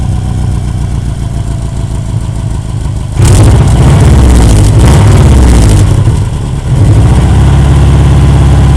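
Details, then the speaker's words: Deep, loud idle with a chuffing pulse about four a second that jumps on a rev: exhaust leak at a joint, made worse by hitting snowbanks, after normal bolts were fitted instead of spring bolts so the exhaust couldn't flex. "Yep, that's my exhaust leak right there. Pretty bad from hitting on those snowbanks there."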